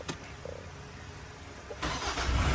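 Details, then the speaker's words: Nissan Frontier diesel after the starter motor, which was slipping (bendix or planetary gear suspected), was replaced with a new one: brief quiet, then it cranks and catches cleanly into a low rumble with no grinding or whine; problem solved. "Acabou o problema, pessoal. Motor de partida novo. Resolvido o problema da caminhonete."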